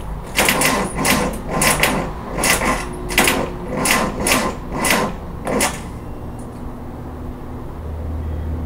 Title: Car won't start...here's the noise